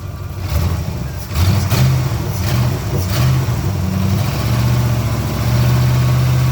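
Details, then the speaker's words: 1987 Camaro IROC-Z V8 running again after bad wire fixed; timing slightly off, idle needs raising a little; deep, even rumble through several clean blips settling back smoothly, no misses or knocks; sounds healthy. "i gotta turn the idle up just a little bit oh man she sounds great sounds great"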